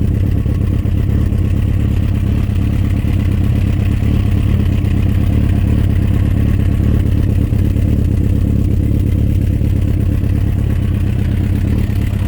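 Loud, deep idle with a fast, loose clatter, about three or four knocks a second, repeating through the run; it sounds like a bottom-end knock. Cause suspected, not confirmed.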